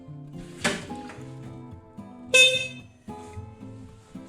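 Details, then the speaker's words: Willys Jeep with horn sold by Kaiser Willys, being replaced by a 12 volt Sparton horn; two short blasts, thin shrill high tone instead of deep blare; wrong horn, too high pitched. "It's too high pitched. It's-- It's a "meep meep, I'm a jeep". It's not the "beep beep, I'm a jeep", you know?"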